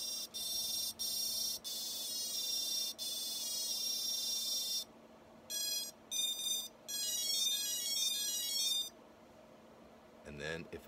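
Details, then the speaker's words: Betaflight ESC calibration on a Rooster drone build after a crash and a fourth flight controller: motors play high musical calibration tones, then no confirmation beeps after the master throttle is pulled down; motors won't spin up. "go down on the master control I never hear that concurrent set of beeps letting me know that it has been calibrated"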